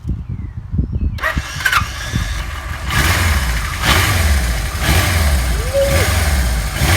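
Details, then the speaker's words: 1977 Kawasaki KZ1000A project bike, engine slightly warm, fuel tank on reserve, started with no choke: brief starter churn, then the four settles into an even, quiet idle with no smoke, misses or knocks; a normal start and idle. "Well, it's a quiet motorcycle. Really quiet. Not smoking."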